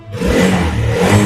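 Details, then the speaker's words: Kawasaki D-Tracker 150 (2022), 28,000 km, exhaust partly stock: short light throttle blips from the small single, smooth and even with no knocks or rattles underneath; the engine sounds healthy. "Oke, dan dari suaranya juga masih halus. Iri khas nyaris tak terdengar."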